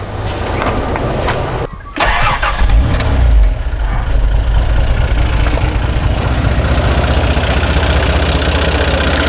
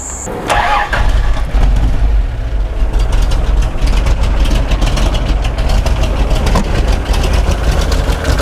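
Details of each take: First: 60 Series truck after carburetor rebuild, cleaned fuel and ignition lines, and a new brass radiator with shroud: cranks, catches and settles into a steady, even idle with no coughing or spluttering; normal. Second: Toyota Land Cruiser 60 Series, 13 years of beach and 4WD use, recurring ignition and fuel faults: cranks, catches, then uneven stumbling, coughing idle from a faulty carburettor, fixed by a full rebuild kit.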